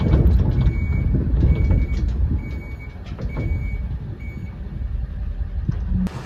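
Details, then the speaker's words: Diesel truck, German-made 6-speed manual shifted into reverse: five steady high beeps about one per second over low diesel rumble; reversing alarm sounding normally. "So all the way over and up is reverse. You'll hear the beeper."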